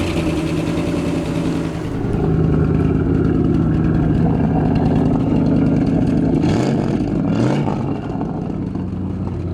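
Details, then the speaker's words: Idling 1962 Mercury Monterey V8: a light, fairly steady tick that quickens as it revs; valve train ticking, suspected lifter or pushrod, unconfirmed. "it ticks a little he said what do you think the ticking might be lifter well it could be push rod could be lifter okay"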